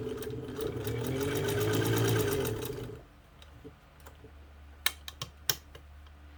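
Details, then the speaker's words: Kenmore 117.552 (Kenmore 55) sewing machine, cleaned, leather-recovered friction pulley tire, new motor and pedal wiring, straight-stitch test: smooth even fast needle chatter for three seconds, clean stop with a few clicks; sews really well, normal running. "Just sews really, really well. The stitches on the top and the bottom are just amazing."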